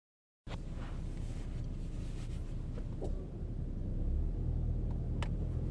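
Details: 2014 Ford Fusion SE 1.6L, 11k miles, front passenger side: light uneven knocks over road rumble on small bumps and gravel, absent on large bumps and above 40 mph; dealer found the strut faulty, new strut cured it.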